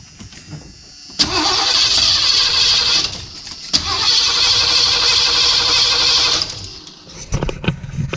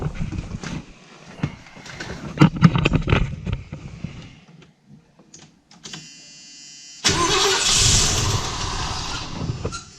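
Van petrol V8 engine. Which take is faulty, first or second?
first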